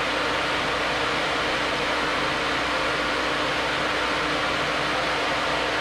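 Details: New Flex-a-lite Flex-Wave 16-inch electric puller radiator fan on a stock 4.3L V6, manually switched on from inside; louder than the old fan. A strong, even rush of air with a faint steady hum, no wobble or scraping. Normal operation.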